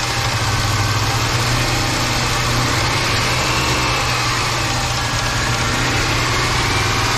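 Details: 5.7 V8 after a top overhaul with head bolts and rocker arms retorqued, at idle: steady low hum with a rapid, busy knocking clatter; hydraulic lifters mentioned, cause not confirmed.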